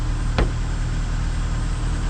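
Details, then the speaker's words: 2002 Mitsubishi Lancer OZ Rally after valve cover gasket replacement, engine temp still low, idling slightly high: low even hum, brief click near the start, otherwise steady with no misses, knocks or ticks; normal idle. "So there it is. She's super quiet, runs smooth. Oh man, it's just so nice to hear it run like this."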